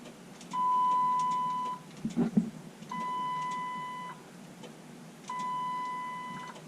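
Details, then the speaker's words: Panel van no-start: key turned gives three long warning beeps and a flurry of relay clicks, fuel pump runs but the starter does not crank; cause unknown. "Okay, all kinds of relays going, and the beeps were going."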